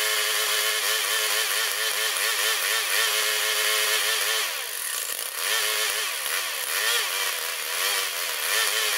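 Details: Older Murray mower, 158cc Briggs & Stratton Classic, started with a squirt of fuel after moving the throttle spring: speed surges and sags unevenly, missing and rough; owner suspects dirty carburetor, still checking for an electrical fault.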